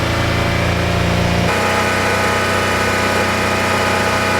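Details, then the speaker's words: Land Rover Freelander SE3 KV6 V6, hot engine, after the fix: a smooth, fairly quiet idle with only a faint tick left. The earlier knocking noise is nearly 100% gone. "listen to how much quieter the little Freelander is now it is nearly 100% gone the microphone's probably picking it up much louder than it is in person it tends to do that on this type of noise"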